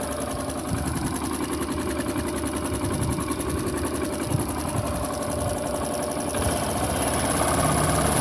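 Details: Honda Pop 110i small single idling, with a quick, light tick about three to four times a second riding over it. Ticking noise at idle; cause not stated.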